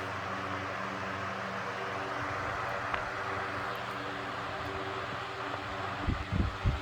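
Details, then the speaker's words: Antique Roto-Beam 20" circulator fan, circa 1937–1940, with a centrifugal start switch, converted from wall mount to pedestal. Worn bearings rumble at startup, then at full speed it runs smoothly with a low even drone, no knocks or scraping; normal running. "so yeah had a little Rumble there that you heard on the startup is a evident of worn bearings but other than that when the Fan's up to speed it runs perfectly"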